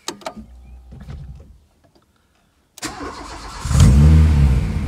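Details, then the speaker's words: Renault Clio 16S hot restart after replacing the faulty coolant temperature sensor feeding the ECU; before the repair it would not restart hot. Short crank, catches at once and revs up cleanly. "Et elle repart. Et là, j'ai plus aucun trou à l'accélération."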